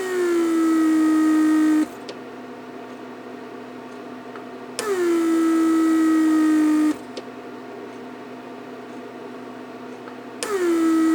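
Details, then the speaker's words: Repaired 1999 Mercedes S500 door lock PSE pump on a bench test, with a small vacuum leak deliberately left open: the pump whirs about two seconds, its pitch sagging, then stops and restarts every four to five seconds. Constant cycling like this would burn the motor. "Basically, I just left a little opening, so it will just continue leaking vacuum, and pump constantly cycles, and that would burns the motor."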